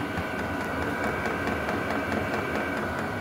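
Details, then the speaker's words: Vevor diesel heater running on test in a garage: steady light ticking about twice a second over the fan roar; the fuel dosing pump pulsing normally, loud but nothing wrong. "Ici, ce que j'ai remarqué dans mon garage, c'est que le bruit de la pompe, tic, tic, tic, tic, tic, tic, tic, tic, tic."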